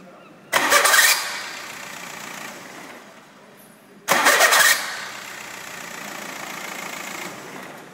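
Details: VW diesel car, two starts, each with a harsh half-second screech as the starter disengages from the flywheel; cause was a mounting bolt with pulled threads in the starter housing, plus badly worn brushes.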